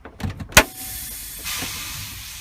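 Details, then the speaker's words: Tractor-trailer air brake practical test of automatic trailer brake application. Pulling the trailer brake valve out gives a sharp pop and then a steady hiss of air exhausting, confirming the trailer brakes work. No exhaust would mean defective brakes. "you hear the exhaust, then you know that the trailer brake's working."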